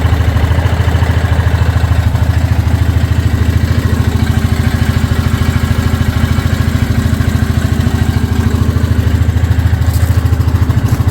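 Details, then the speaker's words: 2023/2024 Yamaha Grizzly EPS ATV: loud, steady clattering beat around three a second over a deep engine drone; abnormal drive noise, cause unconfirmed, rider thinks the CVT belt sounds like it wants to jump off the pulley. "I don't know what that noise is but I don't think it's supposed to sound like that to me it sounds like that CVT belt wants to jump off the pulley crazy"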